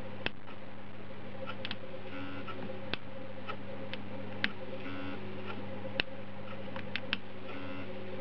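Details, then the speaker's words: Stepper idle air control valve run by a MegaSquirt MS2/MS3, homing at ignition on. Soft ticking and short buzzy bursts are heard as it drives out, stalls buzzing against its seat, then steps back in to the cranking position. Normal homing. "you go so it goes out buzzes as it hits it stop and then comes back in back in again and ready for cranking in its cranking position"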